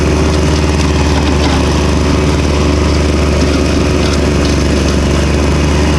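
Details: Victa Super 24 / Super 600 70-series two-stroke mower, long idle, revived with carb cleaning and new fuel, mowing: loud steady buzz holding even speed under load, no surging or stumbling; running clean and healthy.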